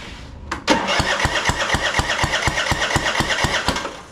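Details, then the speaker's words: Husky LT4200 with Powermore 420cc engine, brought in with very low oil and no air cleaner; customer had tried starting fluid. Sharp, even pops about three a second while cranking, spitting back out the intake, never catching. "not sounding so hot you can see out of the intake all we're getting is popping coming out real quick and all I smell is starting fluid"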